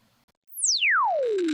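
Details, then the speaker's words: Loudspeaker under a falling test tone with irregular crackly buzzing rattle, loose particle (transient) distortion; compared against a good speaker. "I'll play you a speaker with loose particle Distortion here oh do you hear that rattling noise"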